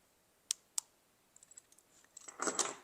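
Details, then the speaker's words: Ram 1500 new replacement key fob: two crisp, separate button clicks half a second apart with positive audible feedback, unlike the worn original fob whose loose internal piece caused ghost remote starts; normal key fob button click. "when I press these buttons, there's no feedback, like there's no audible button press like there is with the new remote."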